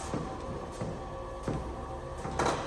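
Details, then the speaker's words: A NordicTrack 1750 treadmill hums while a loud creak thumps with each foot strike about every 0.7 s, also on incline changes. The newly delivered unit was found to have a loose lift-assist crossbar. "And when you adjust the elevation and when you're walking on it or running on it, it's making a really loud creaking sound, especially when you foot plant."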